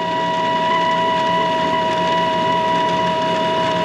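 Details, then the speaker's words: Carrier furnace: loud, constant high-pitched whine at one fixed pitch from the inducer motor; bearings suspected to be going out. "making that loud noise i was looking i think it may be the bearings going out without looking around i don't see any air"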